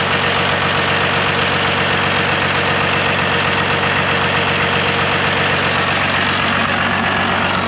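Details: Cummins-swapped Ford F-550 with compound turbos on its first road test drive: even, steady diesel clatter at constant speed with no misses or stray knocks; running healthy.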